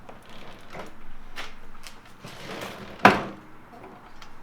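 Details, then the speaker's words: Shovelhead chopper: one sharp metallic clunk over quiet shop handling, from the lug of the mechanical rear drum brake backing plate, which has play and shifts to hit the frame where it is anchored. "so that's that's actually like the lug for the mechanical re brake in the back hitting the frame like there's like play in these mechanical drone"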